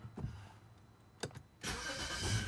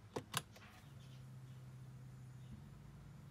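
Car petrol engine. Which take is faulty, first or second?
second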